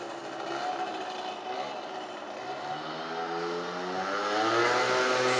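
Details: Speedfight 50cc two-stroke moped after starter relay, exhaust, carburetor and variator fix, ridden up and down: clean buzz, pitch climbing smoothly with throttle, no misfire or rattle; normal running.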